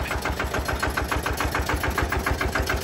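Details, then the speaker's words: Benford TS25 radial swing concrete buggy with single-cylinder Lister diesel, first-ever hand-crank start: slow, even thump about three and a half beats a second, distinctive single-cylinder sound; healthy idle. "It is a very distinguishable, unique sound. Like I said, it's the only single cylinder."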